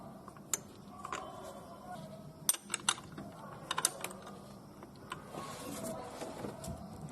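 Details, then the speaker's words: Honda Accord, engine off, automatic belt tensioner levered by hand: scattered dry clicks and catches as the arm binds and returns sluggishly, from a weak or rusted internal spring; spraying lubricant freed it and cured the belt noise. "可以听到也是发卡了。我搬这个粘紧轮就会有听到发卡的声音，说明这个里面的弹簧不行了。"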